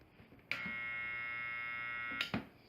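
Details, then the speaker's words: Washing machine spin motor, belt removed, bench-run at high speed, gives a harsh steady high buzzing whine as it spins up and coasts; worn motor bearing. "Então pessoal, quando pegar a máquina com esse barulho semelhante, realmente é o rolamento do motor."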